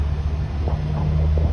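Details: Ford Transit 350 that had no communication and no start, now running after isolating the VCM and ECM from the network: low, steady rumble settles right in after starting, no cranking struggle or roughness; normal idle.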